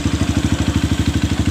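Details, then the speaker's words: Honda CRF fuel-injected bike with a complaint that it dies on low fuel; tank drained to about 1 liter, nearly empty. Even single-cylinder idle of about ten steady pulses a second with no dropouts, running long without the usual drop-out. "normal, tidak ada kendala ya, sudah dihidupin lama. Biasanya langsung ngedrop seperti habis minyak seperti biasanya."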